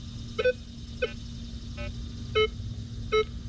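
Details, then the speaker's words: Minelab Vanquish 540 with V12 coil, all-metal mode, sensitivity two notches below max, nickel between two steel spikes at normal swing speed: uneven low iron grunts with high chirps; iron masks the nickel. "So I'm getting iron grunts and the occasional 1 or 3 signal, but we're not really getting the nickel out of there."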